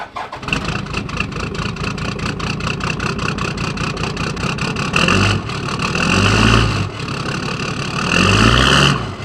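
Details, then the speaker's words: Toyota Landcruiser 1HD-T turbo diesel at 445,000 mileage, cold start before injector rebuild: cranks into an uneven, lumpy idle with irregular knocks and surging revs. The rough start is worst under load uphill. "So it starts a little rough, but where you really notice it badly is when you try and actually use a vehicle or drive up a hill when you first start it."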